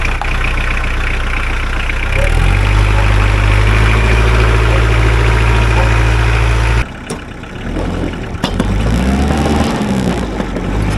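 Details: Mahindra 4110 tractor diesel, after repair of an overheating-blown head gasket, coolant treatment added; test-driven 3–4 miles with no leaks. Steady beat about four pulses a second, no knocks or misses: normal running.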